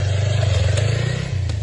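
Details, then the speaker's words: Motorcycle drive chain with low kilometres, rough clatter when accelerating over the engine drone. Caused by the chain being poorly maintained and under-greased, slack in some spots and tight in others. The planned fix is cleaning, drying and lubricating the chain. "Si tu moto hace este ruido al acelerar, posiblemente sea la cadena."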